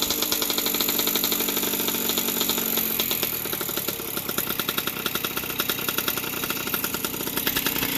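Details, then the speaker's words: 1981 Yamaha YZ60H two-stroke, fully warmed up after a carburetor clean. A crisp, even idle popping steadily with no misses or hunting, idle a bit low: healthy warm idle. "Finding a bit low. It's all warmed up nicely."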